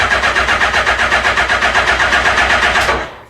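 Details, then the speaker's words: Suzuki GSX-1300R Hayabusa, long stored, starter cranking with clutch held in during immobiliser check, not expected to start; even rhythmic cranking about four beats a second, no firing, oil pressure light went out, cranking works properly. "so cranky is working makes your pressure light went out all sounds good"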